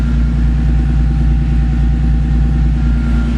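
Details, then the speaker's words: Car with a Horsepower Freaks turbo kit, cold start on a super-cold day after a few extra cranks: deep, rock-steady idle pulsing about three times a second, no hunting or misfire; healthy idle. "So that is cold start when it's super cold. Took a few more cranks than normal. You can see the RPM is rock solid."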